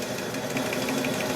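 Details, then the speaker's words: 1940 Globe A4020 Model 75 meat slicer, blade running while being polished with crocus cloth: a light, regular tick about six times a second over the motor hum, once per blade turn, apparently from a speck of paint stuck on the blade. "You can hear that little tick. That would indicate to me that there's like a little nick of something on the blade."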